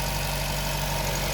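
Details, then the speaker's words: Nissan Grand Livina idling during a pre-purchase inspection: smooth, steady low hum with faint even mechanical chatter, no misses or knocks; normal idle, Livina typically slightly noisy. "Hah mutu suara mesin ini kategori masih wajarlah ya suaranya masih cukup halus"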